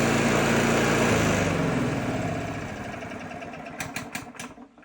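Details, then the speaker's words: Free 909-brand four-stroke key-start lawnmower with no battery fitted, no throttle and governor only, on its first start: a quick, even pop with no misfires before winding down. It runs without any spark check. "of Miracles it actually runs it's bloody mad awesome and bloody tastic don't even have to check for spark"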